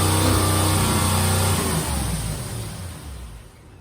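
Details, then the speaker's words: 1987 Chevrolet Corvette C4, under 86,000 miles, sat for years, new injectors fitted, manifold not sealing flush; fast steady high idle with rich drone, then dies, owner suspects vacuum leak and running rich. "Alright, that's revving way too high. Probably vacuum leak. It's running rich."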